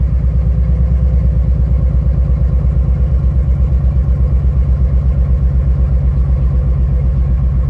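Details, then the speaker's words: 2006 Nissan 350Z idling during cylinder power-balance test on cylinder 5: lumpy uneven pulsing with no rpm drop, so cylinder 5 isn't working; coil 5 found disconnected and coil connectors on 4 and 6 swapped. "vamos a ver el cinco ejecutar el test miren n más como tiembla Okay este tampoco está trabajando"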